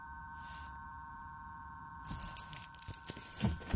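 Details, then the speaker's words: Truck with key off and dead battery, even after a new battery: thin steady high-pitched whine with a faint warble from the vent, stopping when the key is turned on; truck won't start; something electrical stays energised. "well it's making that sound keys in the off position he's off and the battery's dead"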